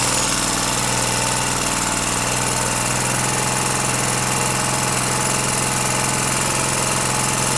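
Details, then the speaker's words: Petrol generator revived after long storage and a valve clearance adjustment, loaded with an angle grinder: steady, even engine drone holding its speed with no hunting or misfire; running properly under load. "можете видеть и слышать, всё работает безупречно."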